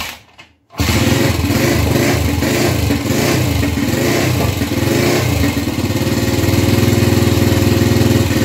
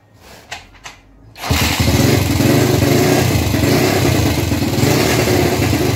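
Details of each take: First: Gilera 150 Super Sport single-cylinder with adapted Honda AX 100 carburetor, first start after basic timing: fires after a pause into a lumpy dull beat about four per second; timing plate set almost fully retarded, feels retarded. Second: Gilera 150 Super Sport with an adapted Honda AX 100 carburetor, timing advanced a little, jet and needle untouched; after a few attempts it catches into an even, lively idle about four beats a second, not flooded, running well.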